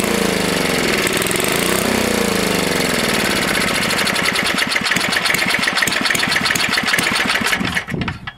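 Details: Tecumseh HS40 engine after carburetor cleaning, first start: the small single screams at fast, unsteady high speed with no idle-down, then is shut off; throttle plate stuck open.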